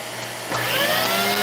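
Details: Vacuum cleaner with intermittent no-power: the motor hum suddenly surges and climbs in pitch as power comes back while the wand is pushed forward. Intermittent cut-out from a loose wand connection.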